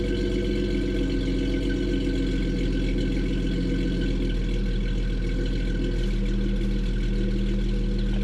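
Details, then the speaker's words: 1988 Jeep Comanche inline six, heavily modified off-road build with custom side-exit exhaust: a deep, steady, throaty idle burble often mistaken for a V8, with no misses or knocks; healthy. "think it has a nice idle sound confuses some people every now and then because they think there's a V8 here when it's just the inline six"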